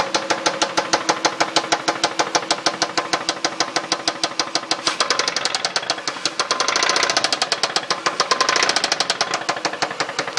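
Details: 2002 Dodge Intrepid RT 3.5 V6, 60,000 miles, idling; loud, sharp, rapid knock like rocker noise that developed suddenly, unchanged after new rocker shaft assemblies and timing belt; cause unknown, rod bearings suspected next.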